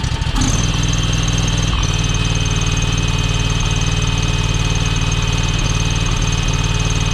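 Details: John Deere X585 mower, hours unknown (787 or 1787), after fuel filter change: low steady thump about four beats a second, slightly uneven; still rough, owner suspects valves need adjusting.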